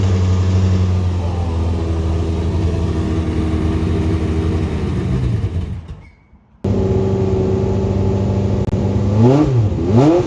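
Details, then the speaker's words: Late-1980s IMSA GTO Gen 3 Camaro race car, V8, first start after arriving from the US, both fuel pumps on with fuel pressure: deep, even burble, brief drop-out, then clean throttle blips with no knocks or misses; sounds like good compression, healthy. "That is That's good. a good sign, you know? It sounds like compression. It does, yeah."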